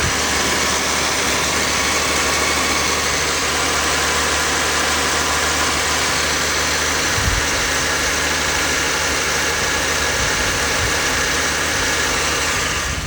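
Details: 2020 Jeep Grand Cherokee 3.6 V6 just after serpentine belt replacement: steady, even idle with a smooth hum and no belt squeal or chirp; the engine sounds healthy.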